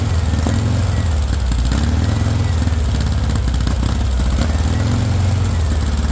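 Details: VW engine with straight pipe, first startup on starting spray: low, lumpy running at modest revs that wavers unevenly; no fuel pressure, fuel not getting through, owner suspects a bad fuel pump.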